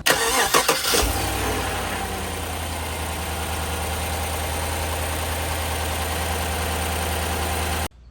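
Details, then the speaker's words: GM 5.3 after exhaust manifold leak repair with a homemade bracket over the broken bolt and a new gasket: cranks, catches quickly and settles to a smooth, even idle; previous exhaust tick seemingly gone. "For the limited resources and everything I do have, uh, that actually turned out pretty good. Seems to make the exhaust tick go away."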